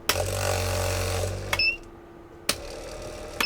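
A steady motor hum runs evenly for about a second and a half, then stops with a few clicks; the unit runs normally.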